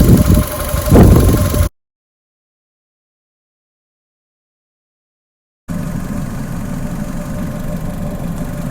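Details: Fiat 500 Lounge petrol engine, warmed to running temperature after a drive, following oil leak repair: couple of quick blips then steady even low idle with no knocks or misses; runs smoothly, no oil leaking.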